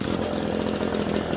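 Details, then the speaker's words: Echo PB-250 two-stroke leaf blower after carburetor replacement, fully warmed up, restarted immediately after a kill-switch shutdown: fires straight back up and holds a steady, even high buzz with no stumbling; hot restart is healthy. "To restart it, if you restart it immediately, put it back to the run position, it should fire right off."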